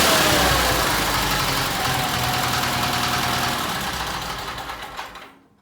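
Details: Case 446 "Big Wheel" lawn tractor twin, barn-stored several years, after removing carburetor air-filter screws that fell in and held valves open: steady even beat about five seconds, then shut off and spins down cleanly; normal running.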